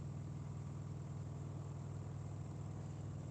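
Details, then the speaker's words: LG AI DD washer spinning bedding and towels together at 1200 rpm or more: deep, heavy rumble with a steady throb about three times a second and rattling; suspected unbalanced spin, load later evening out. "that's a real unbalanced spin. Oh no, it's getting even."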